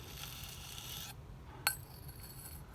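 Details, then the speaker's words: 1958 Mercedes 190SL steering gear box on the bench, heavily rusted and barely turning: faint dry rasping and scraping as the shaft is turned, with one sharp click; rust grinding inside the box. "now obviously we got a lot of rust I mean this thing just hardly even wants to move serious amount of rust"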